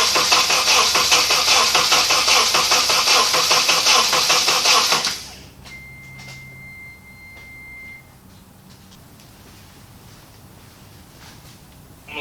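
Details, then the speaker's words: 2003 Honda Element, first start after swapping in a home-rebuilt K24A4 engine, with oil and coolant filled and gas believed present. Rapid, even starter chatter of nearly three strokes a second for about five seconds, then it stops without firing. Cranks but won't start. "gonna let this starter cool down for a second. I didn't forget any plugs, as far as I remember."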